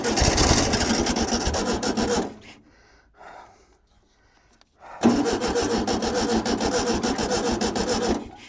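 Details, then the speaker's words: VW T2b pickup abandoned 34 years; the starter churns for about two seconds, pauses, then cranks three more seconds without catching, and the crew suspects something is wrong with the electrical current. "Ta provojmë edhe një herë, se diçka nuk shkon me korrentin."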